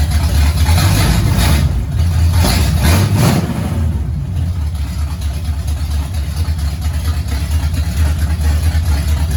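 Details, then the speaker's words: 1969 Pontiac GTO barn find with a 400ci V8, run on fuel poured from a jar, TH400 needing a rebuild: deep, lumpy V8 rumble with throttle blips, settling to a steady idle. It runs clean and likes the gas. "look we've accomplished something it wouldn't do that before uh it sounds good likes the gas"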